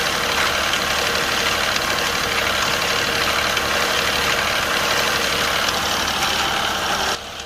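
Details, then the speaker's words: Infiniti Q50 twin turbo at idle just after replacing both turbos and cleaning the catalytic converter: busy, uneven metallic rattle pulsing about four times a second, not consistent but pumping; cause unknown. "So I really don't know what it is this. It's not like consistent. It's like pumping."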